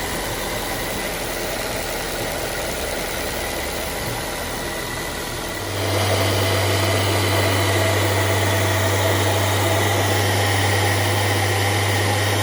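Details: Honda S2000 with Kraftwerks Rotrex supercharger after 8-rib ribbed belt conversion, belt freshly tensioned; fires after a few seconds, settles into steady even hum, no ticks, squeals or belt chirp; running smoothly.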